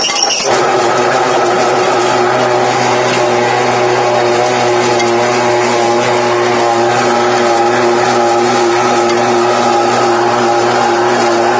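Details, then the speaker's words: TDP 1.5 tablet press that arrived with a busted case: a steady, loud, fixed-pitch buzzing hum and bad vibration; the motor is quiet with the belt disconnected, and the owner suspects something inside is bent. "and then you turn it on either works and makes our horrible vibration sound or they don't work at all"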